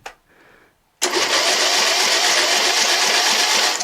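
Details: John Deere L100 lawn tractor, 17 hp Briggs & Stratton Intek OHV single, after new stator, starter, magneto and battery, first crank with spark plug refitted: even four beats a second with steady push per stroke; healthy compression.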